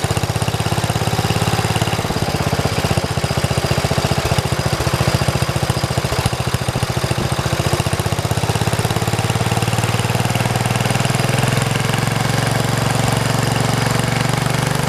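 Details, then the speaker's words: 1973 112 tractor: single-cylinder beat stumbles with skipped firings when the clutch is pushed, then smooths out. The misfire was caused by a loose wire touching ground and sparking. "So as you can hear, when I pushed on the clutch, it started doing that, the miss. I think I figured out what the sparking problem was. It was just, this was touching ground, that was it."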